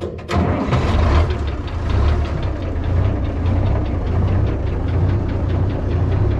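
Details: New Holland round baler driven by an International 1256 tractor, just repaired with new bearings and chain, fired up: quick start, then a steady, even low drone with no rattle or knock; running smoothly.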